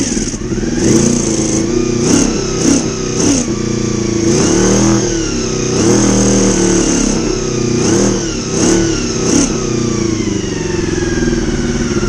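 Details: Honda VFR400R V4 running after carburetor work, on all four cylinders: crisp, even revs rising and falling cleanly with throttle blips, no misfire or stumble; running healthy.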